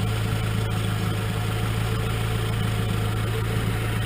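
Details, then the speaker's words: Nissan KA24E after new rocker arms were installed and bled by running the engine: smooth, even idle with no valvetrain ticking or clatter. It sounds quiet and healthy. "let the oil get through and listen to that quietness that is quiet I love it yeah it's so very healthy right now"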